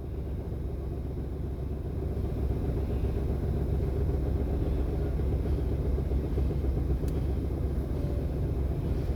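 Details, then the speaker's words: Toyota Wigo, unstable idle near 900 rpm with aircon on, no check engine light: low idle rumble with an uneven lumpy pulse as the engine shakes; clearing the stored code didn't stop the shaking. "ah nanginginig yung makina so i-try nating i-delete"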